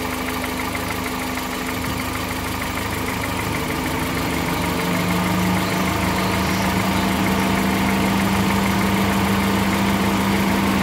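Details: 2013 VW Voyage with the EA111 petrol engine at steady idle, with a regular low knocking at about three per second from the lower part of the engine. A strange bottom-end noise, cause unknown.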